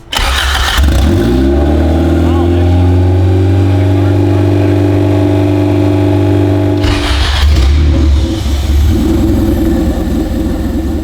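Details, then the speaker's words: Honda CRX with freshly swapped B18 engine, first start after fixing a bad wire harness: quick crank, catches at once, settles to a smooth steady idle then a short rev blip; fired right up, healthy start, no codes, cooling not yet done. "first try it was actually it was literally like just fired right up okay it's it's a typical Honda"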